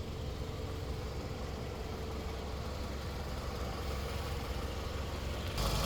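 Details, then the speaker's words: 2005 Toyota Camry with a possibly replaced engine, idling with a smooth, even low rumble: no knocks, misses, rattles or smoke, a healthy idle. "Vehicle's currently running, sounds good, no smoke."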